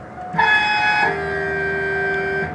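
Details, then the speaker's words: Key turned on with gas cap off, listening at fuel filler: steady high whir from in-tank fuel pump holding a couple of seconds; normal fuel pump prime, pump working. "you hear that sound that's the sound of fuel pump itself working and if you hear that sound what they're telling you is that your fuel pump pretty much is working"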